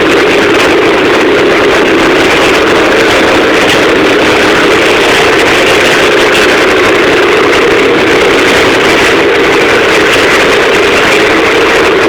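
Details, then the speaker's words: 1984 Husqvarna WR400 two-stroke, cold start at 31–32°F with pipe and engine cold, unstarted for days, fired on about the fourth kick. Crisp, even, loud idle with a steady crackle and no stumble, music in the background; normal cold idle. "so so woo things loud anyway cranked up wasn't the first kicker probably a four kicker like i say it is 32 degrees outside and uh it was cold"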